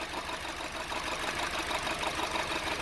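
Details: 2009 Honda Civic 1.8 16V petrol idling roughly with a faint uneven pulse; one dead cylinder from a chronic fuel injector defect, causing engine noise, lack of power and high fuel consumption; spark at coil confirmed present.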